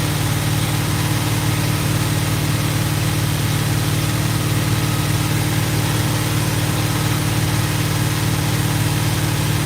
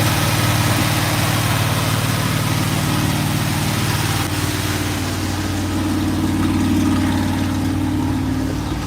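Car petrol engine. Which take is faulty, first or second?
first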